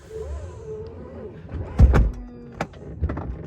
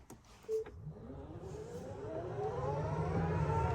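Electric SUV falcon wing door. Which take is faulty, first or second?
first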